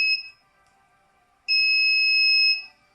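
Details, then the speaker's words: DIY mini spot welder powered from a battery, at power-up: two clean high beeps, a short one then a longer one-second tone, its normal boot-up signal. "As you can hear, this was the boot up."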